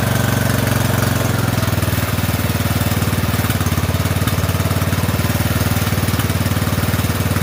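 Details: Poulan 12538 riding mower, 12.5 hp single-cylinder, after fitting a new carburetor, previously popping and hard to start: even putter at steady idle, about three to four beats a second, no stumbling; normal running.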